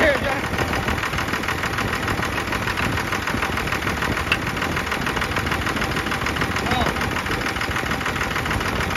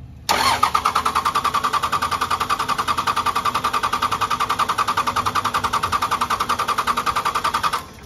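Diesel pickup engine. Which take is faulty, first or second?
second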